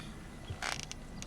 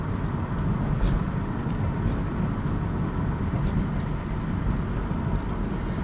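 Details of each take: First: 2006 Chevrolet Cobalt SS backing down the driveway over bumps: a dull thump, then a brief rattly clunk and light knocks from the front end, caused by worn front stabilizer (sway bar) links; the car also feels unstable on the highway. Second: 2006 Chevrolet Cobalt SS test drive after replacing the front stabilizer links for a clunk over bumps: steady low road rumble inside the car, with the earlier clunk barely audible or gone.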